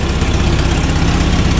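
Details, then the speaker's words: Toyota RA40 Celica 22RE idling on a freezing-cold day after a cold-start fix: sharp, rapid ticking with each firing pulse from a bad exhaust leak where mismatched Corona and Celica exhaust parts were hammered together. "the only thing we have for salt is the exhaust you can hear that ticking really loud there's a mad exhaust Li"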